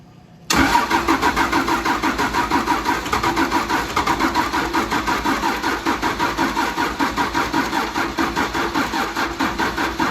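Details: 1953 Mack A40 truck with a swapped-in 24-valve 5.9 Cummins diesel from a school bus, on a booster pack: steady rhythmic starter cranking, about four even pulses a second for ten seconds, and the engine never catches. Cranking, no start.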